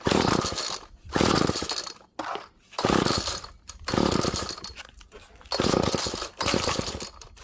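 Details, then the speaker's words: Found GTI 16D string trimmer two-stroke with compression, choke on: repeated rasping pull-cord rips about every second with no catch; cranks but won't start, owner thinks it may be over-choked, heard it try to light. "could be choking it out too much i heard i heard it try to light but let me go get more gas quick"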